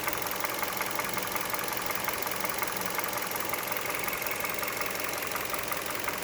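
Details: 2011 Hyundai Solaris G4FC, 166k km, warm idle at 92 °C coolant, mic under hood: light regular tapping about three per second appears at idle, fades when revs rise; engine knock of unknown origin.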